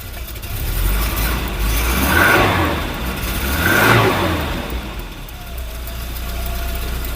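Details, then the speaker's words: Volvo 740 saved from scrap, after a full new exhaust and a new in-tank fuel pump: steady low idle with gentle blips and no puffing or ticking at the manifold; the exhaust manifold leak is gone and it is quiet. "Oh, that's quiet. Oh, that's peaceful. That's the first time I've heard it not blowing from the manifold."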